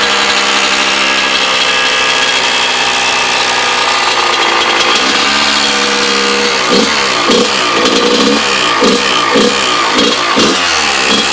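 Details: KX100 two-stroke with freshly rebuilt motor: raspy idle with a rhythmic rattling chatter that surges in the second half; owner suspects the power valve, source unconfirmed.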